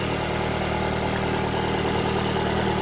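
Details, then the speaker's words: 2014 Dodge Dart 2.4L MultiAir at about 101,000 miles, idling with a rough cylinder three misfire that comes and goes as the broken injector-side solenoid connector is pushed forward and back; codes P103B, P0303, P1043, P1069. "right there's number three I'm going to push forward on it oh look at that just as soon as I pushed it forward now I'm going to push back quit Miss firing push forward Miss fire push back it quit"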